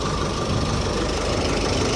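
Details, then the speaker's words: Chevrolet Colorado Z71 2.5 diesel, 5-speed manual, after repair of engine shaking and internal noise, road-tested about an hour: even diesel clatter at steady idle, no misses, shakes or speed rises; normal idle. "ไม่เป็นปัญหาใดๆทั้งสิ้นนะครับเสียงเครื่องเดินเงียบแล้วนะฮะ"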